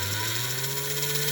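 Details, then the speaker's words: Postwar 1946 Flyer (chassis #2) toy train motor with 3D-printed parts: steady small-motor whine with a faint irregular tick in the gearing, possibly a cockeyed gear front edge; expected to wear in or be polished. "But you can hear it. It's ticking somewhere in there. It'll wear down. And I'll find it and polish it up."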